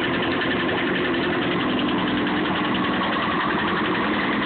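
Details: Honda CBR954 motorcycle idling evenly with a busy ticking clatter on top; owner reports a knocking noise whose source is unclear.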